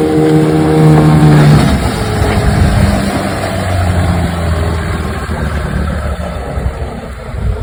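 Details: 1996 Johnson 15 hp outboard (J15RED) on lake test after replacing stuck thermostat that caused overheating shutdowns, filmed from dock: pulls steadily, revving up then settling to even drone with no misses or knocks; runs great.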